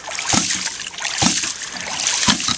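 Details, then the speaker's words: Rife Ram 20 ram pump fed by 2 in pipe from dam, 38 PSI (~87 ft lift), after gasket replacement: waste valve counterweight set slow, sharp even clacks about once a second over trickling water; slower cycling pumps more water, normal. "See, you can hear the difference. slow to down. Slow it down. You slow it down, you actually pump more water."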